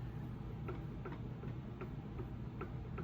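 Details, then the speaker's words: Mercedes E350 E-Class on the lift: faint, sharp clicks about every 0.4 seconds as the axle shaft is rocked by hand. The inner joint has major play and is not pressed into the differential, possibly the wrong axle, and the outer boot has failed. "But that barely moves. You can hear it more than you can see. I can feel it. But this one is like that's something majorly wrong inside there."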